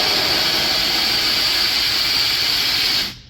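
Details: Hoffman Gel 3 steamer during blowdown, nozzle run by foot pedal instead of opening the vent: a steady high hiss of steam for three seconds, then a clean cutoff; normal venting, to continue down to 5 PSI.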